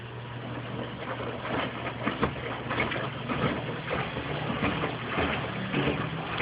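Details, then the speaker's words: Mueller Special Brazilian washer, duvet on quick cycle, 60°C wash, first rinse at very high water level: slow uneven swish and slosh about every half second over a low motor hum; normal rinse agitation. "Now that's a very high water level. And that's why the rinse is always perfect."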